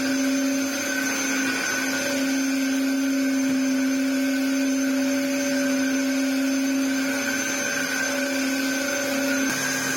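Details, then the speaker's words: Dyson DC07 Clic vacuum after restoration, clutch cover refitted: steady motor whine with thin high whistle while vacuuming; air leak suspected from a broken clip or possibly warped part not sitting correctly. "I probably imagine that that being broken means it's not sitting 1,000% correctly which is causing it to have a little bit of an ay who knows in time it might get better"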